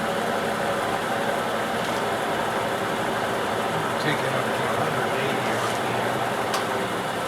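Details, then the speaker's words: Shop-built gear hobbing head cutting its first chips at a faster speed: steady running with smooth spur gear whine, the earlier once-per-revolution tight-spot sound no longer heard; normal spur gear whine. "you can hear a little more it's just it's spur gear line I'm not hearing the one from Rab in there anymore that's looking pretty good"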